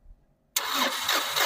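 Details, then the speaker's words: Mahindra Maxx diesel truck, fault code maximum rail pressure exceeded: starter cranks steadily but never catches; fuel pipe at diesel filter opened during cranking shows no diesel coming through. "చూడండి diesel రావడం లేదు."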